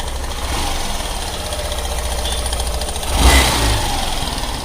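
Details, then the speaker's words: Hero Super Splendor BS6 motorcycle idling with a fast, dry metallic clatter from a very loose timing chain slapping its guides, before adjustment. "Friends, आप लोगों ने देखा कितनी बुरी तरीके से टाइमिंग चेन की आवाज़ आ रही थी।"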